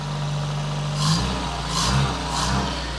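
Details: Barn-find Citroen BX 4WD engine: it idles evenly, then takes three short throttle blips and settles back cleanly each time. The idle air control valve seems to do nothing, but the engine runs nicely.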